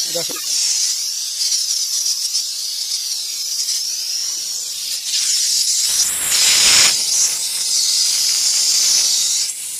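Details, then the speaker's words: Mercedes Actros truck, AC not cooling and overcharged with refrigerant (about two vehicles' worth), high-side pressure climbing and system tripping: loud steady high-pitched hiss lasting several seconds as surplus refrigerant is bled off. "इसमें over refrigerant का fault ए रहा है और इसमें दूसरा भी तो कुछ मुझे मिला नहीं है अब हमने फाइट किया है अब इसका रिलीज करते हैं"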